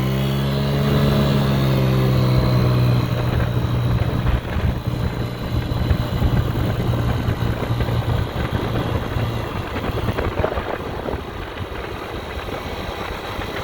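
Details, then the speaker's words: 50cc two-stroke scooter after low-compression fix with used cylinder, piston and rings (from ~3,800-mile scooter) and re-tuned carburetor: buzzes up steadily under throttle, clean even note; running healthy. "i put it on here clearly this thing is running now it's taking throttle i re-tuned the carburetor seems to be taking throttle feels like it's got some pull"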